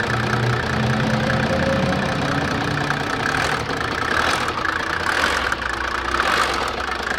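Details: Mercedes OM603 turbo-diesel after timing chain replacement: steady idle with its usual even clatter and no extra rattle or slap; normal diesel idle, the earlier timing chain noise gone.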